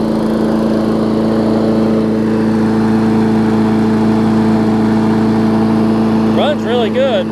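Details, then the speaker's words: Newer Murray push mower with Briggs engine, after fixing oil in the gas and water in the oil: runs at a steady even drone with no misses or knocks, about 15 minutes in with some old oil still burning off; healthy. "so i've had it running a good 15 minutes already it's perfect"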